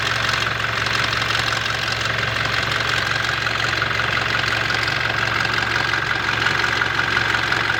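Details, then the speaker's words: Toyota Hilux 2GD diesel idling cold on first start, when it is noisy: sharp, even knock about three a second over the clatter; source not yet pinned down. "Ang gagawin natin dito guys ay huwag natin painitin, no, sa pag-observe dahil tuwing unang start lang talaga ito nag-iingay, no?"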